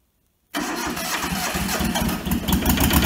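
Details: Toyota SDK4 skid steer diesel, restoration project; silence, then cranks and catches into a steady even clatter settling to a healthy idle; starts and idles normally.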